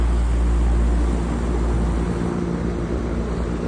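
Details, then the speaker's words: Reznor MAPPS DH HVAC unit after main control board and overload relay replacement; supply fans kick on into a steady, even low rumble with smooth airflow hiss, no knocks or squeals, running normally. "Good old REZNOR MAPPS. I freaking hate these things. Fans just kicked on, you hear that? Oh yeah."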